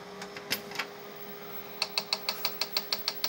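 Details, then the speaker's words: Tandy 1000 SX ST250R hard drive powered with controller cables pulled: after quiet spell, steady sharp clicking about six per second without settling; heads seemingly seeking beyond track zero, cause suspected. "that ticking noise so it's still doing the ticking but i noticed one thing that it actually i thought it might have been the controller but i've pulled the cables from this thing powered it up and it's going to do the same thing there it goes so it sounds like the hard drive is trying to get to like track negative one"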